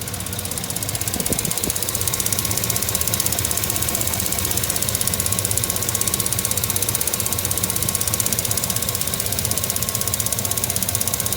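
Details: 2008 GMC/Chevrolet 2500HD 6.0 Vortec LS-style V8, 140,000 miles, idling: rapid even ticking about four a second, seemingly from one side; runs great, no check engine light; owner unsure if normal injector noise or lifters, cause unconfirmed.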